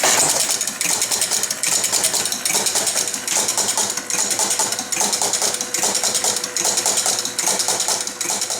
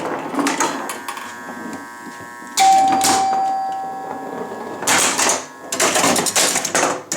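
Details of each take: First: Chicago Coin Blue Max electro-mechanical pinball, non-functional: on game start the score motor spins continuously with clatter bursts about 73 a minute; score wheels run but don't all zero, so reset never completes; some wheels sticking, one dead. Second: Chicago Coin Blue Max electro-mechanical pinball after score wheel and relay repairs: chimes ring, relays clack, score motor whirs in bursts as game starts, serves the ball and advances; normal game play.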